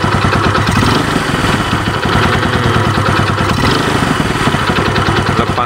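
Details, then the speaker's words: Yamaha Vega ZR after repair, exhaust refitted, battery faulty so kick-started: fast, even single-cylinder putter at idle with steady ticking but no stumbles, no longer dying when throttle released; holds idle fairly smoothly. "gas tidak mati lagi karena penyakitnya sudah diobati ini sudah lumayan halus garing garam tinggal kita pasang gir belakang terus kita tes"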